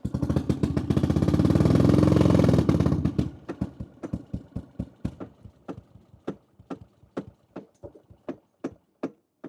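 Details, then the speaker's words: Little Tikes Cozy Coupe go-kart with CVT, custom exhaust and gas tank, first start, cold and on choke; loud uneven run then sharp fading pops, sounds horrible; rough running, owner suspects it needs warming up, choke raises idle. "Sounds like a bottle rocket. It sounds like a bomb. What in the French dog is that? I don't know. It's like, wow. It sounds horrible. It sounds horrid."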